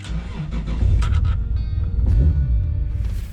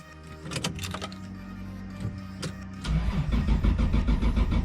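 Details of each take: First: Toyota Supra JZA80 RZ 2JZ-GTE on a Blitz ECU with the idle air control valve unplugged, after new spark plugs for a no-start suspected from rich running: brief crank, catches, revs up, then settles to a jumpy idle; now starts normally. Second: Toyota Supra JZA80 RZ with 2JZ-GTE, won't start: starter spins engine steadily for a few seconds but never fires; crank no start, owner suspects running rich with fouled spark plugs.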